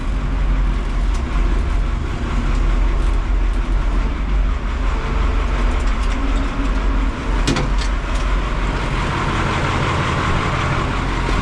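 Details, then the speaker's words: White 4-150 tractor, diesel, after rebuilding the hydraulic cooler gerotor pump: steady deep rumble with no whine or knock, much quieter than the former hydraulic pump noise; no fittings leaking. "It is a lot quieter. I wonder if all the noise that used to be back here was that Gerotor pump."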